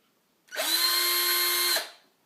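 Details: Black and Decker Firestorm 18V drill after converting its NiCd pack to five 18650 lithium cells harvested from laptop batteries: one smooth, steady high whine just over a second, clean start and stop, no rattle; drill motor runs healthy.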